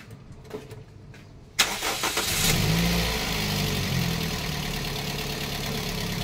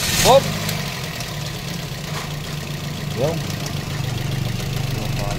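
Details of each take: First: Toyota Vios that kept breaking its belt after the compressor pulley was replaced with a different 3PK pulley on a 4PK setup. The engine catches after a short crank and settles to a steady, even idle; the knocking is gone and it sounds normal. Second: Toyota Vios idling with short, sharp belt chirps; replacement compressor pulley is 3PK instead of the original 4PK, so the belt doesn't fit, is damaged and has failed twice.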